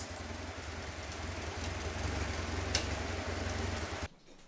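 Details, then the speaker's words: Caterham Super Seven 1600GT Sprint, 27 years old, running: a loud, deep exhaust rumble with an uneven, coughing pulse because the muffler's wool packing is burnt. Exhaust smells, so an off fuel mixture or oil burning is suspected. "中のウールが焼けているからうるさいですね"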